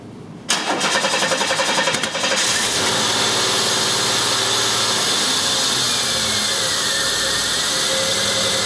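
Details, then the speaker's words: 1991 Chevy Cavalier 3.1 L with group-fired injectors, no start from one shorted injector: with that injector unplugged it cranks quickly, catches within two seconds and settles into a steady, even run. "start as you can see the car runs one sorted injector keeping the whole car from starting"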